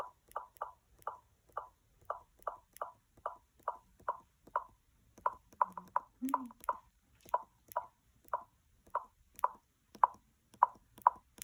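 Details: Two-month-old MacBook Pro (15-inch, 2019): sharp, hollow popping from the speakers, about two pops a second, repeating steadily.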